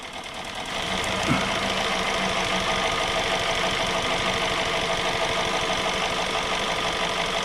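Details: 2017 Hyundai Sonata petrol engine with code P0303, idling with an uneven, stumbling beat. Swapping coils and plugs between cylinders 2 and 3 showed the misfire follows the plug, so the #3 spark plug is bad; fix is new plugs/tune-up.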